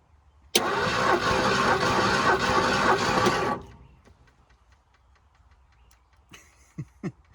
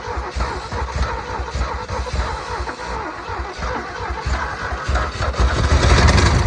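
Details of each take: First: Bullnose Ford F-150 flooded in 2010, with water in the engine for 14 years: compression test while cranking about four beats a second for three seconds with no catch. This cylinder reads zero compression, while another reads almost 120. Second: Ford F150 bullnose truck, flood-damaged in 2010 with water in a seized engine for 14 years, after timing adjustment: catches after a couple of stumbles, then holds a lumpy, steady low rumble that swells as revs rise; running.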